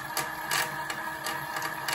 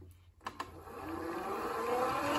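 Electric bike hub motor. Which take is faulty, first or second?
second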